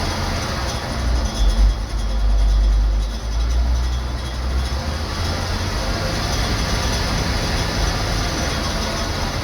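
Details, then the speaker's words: Gleaner M2 combine diesel engine, warmed up a little, runs good: deep steady rumble holding an even note with one brief swell, no knocks or rattles; normal running. "Runs good. Alright, she's warmed up a little bit."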